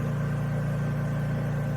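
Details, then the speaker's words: Honda EU3000is inverter generator running under load of hot work lights, briefly tried in eco mode, on a cheap aftermarket HUAYI replacement carburetor: steady, even low hum with no surging, misses or knocks; runs flawlessly, healthy. "Yeah, she runs flawlessly, guys. So I'm really happy with that carburetor."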